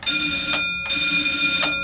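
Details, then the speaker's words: Completely original 1954 Otis elevator in a vacant building, alarm button pressed in the car: a loud, bright electric bell rings steadily in two long bursts with a short break, a normal alarm bell. "There's your alarm, 4321 in basement, and since we're in a vacant building here, I'll let you hear the alarm."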